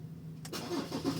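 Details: Automatic car restarted after shifter moved back to park (the safety switch blocks ignition outside park): brief crank, engine catches cleanly and settles into steady idle; normal start.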